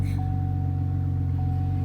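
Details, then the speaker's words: 2007 GMC Acadia, 174,631 miles, check engine light on with code P0496 (evap purge flow high). Right after start-up there is a heavy low rumble with a rapid puffing flutter under the idle: a horrendous exhaust leak. "I'll start it up just so you can see it doesn't go away. It's got a horrendous exhaust"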